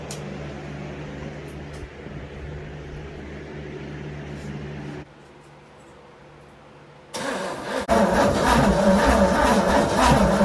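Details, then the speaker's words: 1969 Pontiac GTO 400, 3-speed, first start after sitting since 1978, with new distributor cap and old plugs: quiet cranking, then the V8 catches and roars briefly but stalls, starving for steady fuel. The carburetor needs rebuilding. "I'm gonna have to rebuild the carburetor anyway but like or find something to put in that hole to fill it up because like it looks like it'll run dude it just needs fuel constant fuel"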